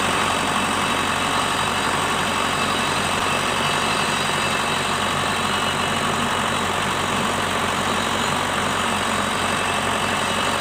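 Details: Shibaura SD4000A-D tractor after replacing the release bearing, clutch disc and pressure plate: a steady, even diesel idle with a smooth rumble and no knocks, slipping or grinding. It is running healthy.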